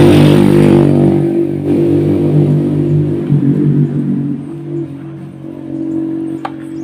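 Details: Yamaha F1ZR two-stroke motorcycle after fitting a Grand CDI. Crisp revs rise, then ease to an even idle with no knocking or hesitation: running cleanly.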